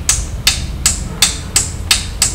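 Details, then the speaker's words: DGM-651A Bluetooth subwoofer booked in as no power: once plugged in, sharp regular clicks about 2.7 a second from the switching power supply, with no other output. "Speaker is plugged. You can hear the clicking of the switch,"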